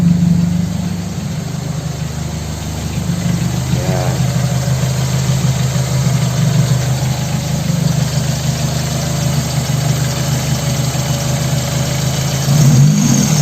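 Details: Toyota Corolla 2E engine after the distributor condenser was replaced to cure a misfire. It now has a low, even idle that holds a steady beat with no stumbles or misses.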